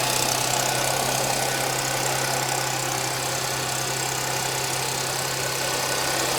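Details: 2010 Audi A6 4F/C6 3.0 TFSI, 110,000 km, at cold-start idle with a fast light metallic clatter over a steady hum. Owner suspects timing chain rattle; not confirmed.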